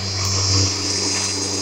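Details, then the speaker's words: Bissell Lift-Off vacuum cleaner: a steady motor drone with a high strained whine over a low hum; the motor is laboring with very weak suction and getting hot. "yeah she basically uh struggling pretty bad here I gotta say it's on the worst walking back you've ever had I mean listen to it just like yeah yeah it's like no power at all"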